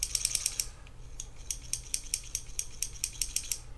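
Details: Shimano Stradic C5000XGL spinning reel clicks while cranking the handle, sharp bright ticks in time with each rotation; loosening the drag didn't help, traced inside to a warped rotor.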